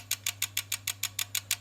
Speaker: just click click click click and imagine having that one connected and all your stuff going click click click on off and off and off and off